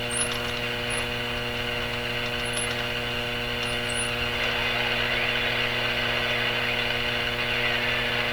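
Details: RCA Victor Model 911KG radio tuned to its shortwave band around 11 MHz, with the volume turned up: loud steady hum with a stack of evenly spaced tones and no station received, a strong mains hum in the set.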